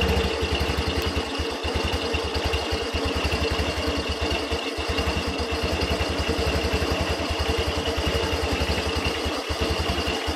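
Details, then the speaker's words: Yamaha Xeon carburetor scooter idling: busy metallic "jing-jing" jingle from the CVT, from a slipped rear bearing on a worn seat rubbing a pin. "Jadi ada suara "jing-jing-jing", seperti musik DJ, teman-teman."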